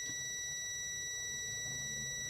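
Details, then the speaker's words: Samsung UA32EH4000 LED TV, dead with no power: continuity test on the third and fourth of four rectifier diodes gives one steady, unbroken beep that never stops, even with probes reversed, so those diodes are shorted. "Apakah dia hilang nah ini tidak hilang berarti korselet dia udah keempat ya sama dia udah keempat juga corslet ya"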